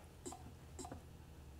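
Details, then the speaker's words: Mercedes non-turbo diesel injector on a hand tester at about 1650 psi release pressure: three short sharp chirps over a low hum with a fine cone-shaped mist, a healthy injector. "hear that chirp that's very healthy to hear that little chirp sound and notice it's a very very fine mist but it has a nice cone pattern"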